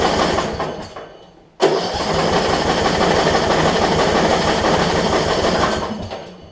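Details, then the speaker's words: Yard Machines 38-inch riding mower, 13.5 hp Briggs & Stratton, with starting fluid: starter whirs steadily about three chugs a second, engine never catches; owner suspects bad, foul-smelling fuel with water, possibly fouled plug, unconfirmed. "so i wanted to try i think i think the fuel is just so bad in it that it just won't crank for us"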